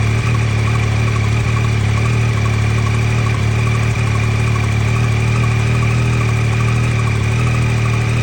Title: 2023 YAMAHA XSR900 Cold Start Ticking Noise,Is this Normal ?